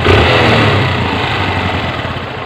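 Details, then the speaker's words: Honda CB125 single-cylinder, engine overhauled over a year ago, idling: a loose metallic rattle over the thump from a faulty, unrepaired clutch damper; the rattle disappears when the clutch lever is pulled. "Ayan lang pag binita natin yung kanyang clutch damper Yung kanyang clutch lever nalag yun pag pinisil natin mawala a yung clutch dumper yan Mga pre Okay na"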